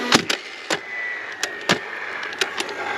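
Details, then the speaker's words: DeWalt DCFS950 fence stapler, after jam-light stall (owner suspects moisture on jam-mechanism contacts); sharp, clean snaps at irregular intervals with light motor whir between: normal firing again. "It's back working. I think what I did, I don't know."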